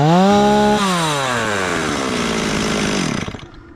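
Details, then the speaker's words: STIHL 026 chainsaw after rebuild, bleeding oil and with a poorly working stop switch: revs climb cleanly to a high scream, hold, then drop back smoothly without bogging. Throttle response is good, and the owner thinks fresh clean oil may be all it needs, without changing settings. "pretty good throttle response I don't know I might not even change the settings on it probably once we get some uh good clean oil going back in it it might be all right"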